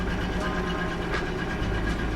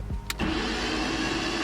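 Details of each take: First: BMW E36 Touring running on LPG, 273,000 km, first start after fitting battery, coil and missing spark plugs: steady, continuous engine rumble with no misses, knocks or ticks; normal running. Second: BMW E36 Touring on LPG, 273,000 km, battery just fitted: starter whirs fast and even with no compression pulses or firing; cranks but won't start because the coil and spark plugs are missing.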